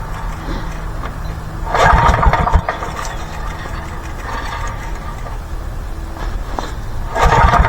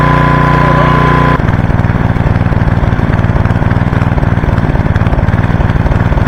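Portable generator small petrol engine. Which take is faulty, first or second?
first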